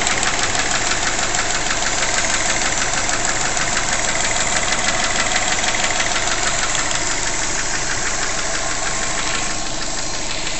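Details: 2005 Subaru Legacy GT with forged Mahle 4032 pistons at operating temperature, ambient around 65°F: steady idle with a hollow, regular knock about three times per second from piston slap.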